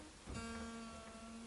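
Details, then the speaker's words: Fender American Elite Strat setup: after widening a deep nut slot where the string was catching, a plucked note rings cleanly and steadily with no nut ping. "pinging's gone. That's what we needed to do."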